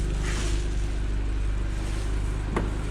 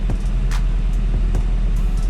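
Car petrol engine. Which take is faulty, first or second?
second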